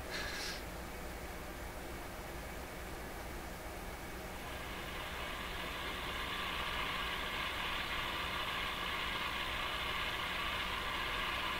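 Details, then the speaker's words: Crosley 43FB farm radio after incorrectly sized capacitors were replaced, powered up with filaments at 1.4 V and B+ applied: a steady hiss swells and holds with faint ticking, heard between stations as the AVC raises gain. Suspected interference, seemingly entering via the antenna. "That noise could be interference. Like ticking."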